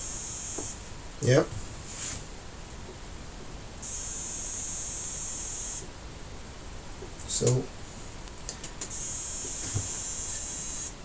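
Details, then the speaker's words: Sony XBR 65X850E TV that won't power on: thin high-pitched hiss-buzz cycling every couple of seconds from the power supply, traced to bad diodes that were replaced. "so yeah that's the sound is coming from the power supply okay okay so um now with the buzzing noises like this I suspect there is a problem with the power supply"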